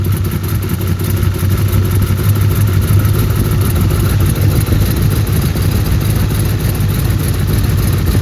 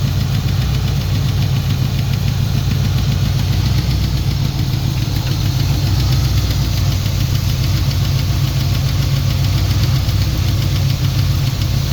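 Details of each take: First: Turbo Trans Am engine after partial overhaul (revised cylinder heads, new camshaft, adjusted valves, new turbocharger), first start on break-in oil, held at raised rpm for 30-minute break-in: loud, even low rumble, no knocks, ticks or misses; oil pressure great, normal fast idle. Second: Turbo Trans Am during break-in after partial overhaul (new cam, new turbo, valves set to zero lash). Heavy low rumble with a faint repetitive knock appeared after about 15 minutes. Valvetrain ticking; excess valve play was later found, hydraulic lifter suspected.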